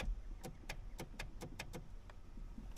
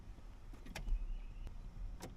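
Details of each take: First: 2008 Chevy Silverado 1500 brake pedal position sensor (brake light switch) clicks sharply on and off each time the pedal is touched, quiet between; this clicking is normal, though the owner says it clicks off again with repeated presses. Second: 2008 Chevy Silverado 1500 cab, brake pedal pressed repeatedly: three sharp clicks as the faulty brake light switch (brake pedal position sensor) clicks off and back on, causing flashing brake lights and start/shift problems.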